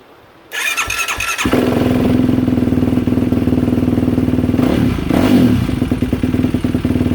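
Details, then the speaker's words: Yamaha YFZ450R that had not started and was popping now and then, fuel pump tested at about 49 psi; brief cranking, then it catches into a quick, even single-cylinder beat with one blip, starting and running cleanly. "Well, this thing runs. When he first brought it here, I was hitting the start button. It wouldn't even start up and run."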